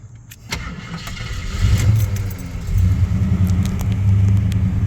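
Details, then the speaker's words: 1987 Jeep Grand Wagoneer, fully rebuilt rare AMC 401 V8 with FiTech fuel injection, new distributor, plugs, wires and water pump, and a rebuilt transmission: cranks briefly, starts right up and settles into a smooth, quiet, deep, even idle with no knocks or misses. Normal start and idle. "you can hear, it started right up. See how quiet and smooth it is?"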